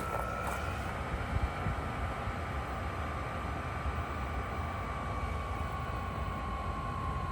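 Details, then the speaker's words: VEVOR 5kW diesel heater on first startup, after smoking: a steady rush with a thin whine slowly dropping in pitch as it slows, smokes less and dies out. A possible error code followed, and it was restarted. "Slowing down. Not smoking as much. That sounds like it's dying."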